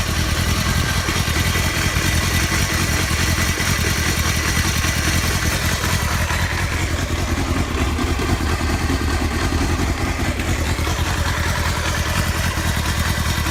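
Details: Honda Hornet 250 four-cylinder: busy idle with rapid mechanical clatter riding over it, holding through blips; abnormal engine noise, cause unknown.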